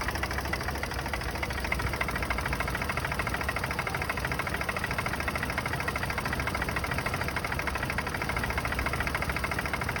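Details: Turbo B-series engine bought from Facebook Marketplace, cold start: fast, hollow knocking runs steadily through the idle, suspected piston slap, not confirmed.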